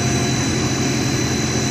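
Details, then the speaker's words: 60 HP hot closed-loop pump on a VFD, after swapping two three-phase wires to correct reverse rotation: steady, even motor and pump drone with constant whine, no knocking or surging; turning the correct way and running normally online. "amazing how a pump works if it's rotating the proper direction up online"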